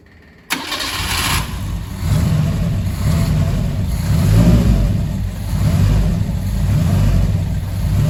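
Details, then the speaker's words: Fiat 147 carbureted engine start test after fitting a new electric fuel pump in place of the mechanical one; brief crank, then it catches and settles into a steady, even idle with no misses, normal start and idle. "Perfecto. Ahí, esto está espectacular, así que es hora de la prueba de arranque."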